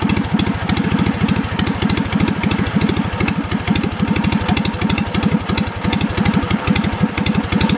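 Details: Old Wisconsin THD twin-cylinder engine after freeing a stuck exhaust valve with oil down the stem: firm, regular exhaust pulses, slightly choppy; both cylinders firing, runs pretty good; worn carburetor top half may need replacing.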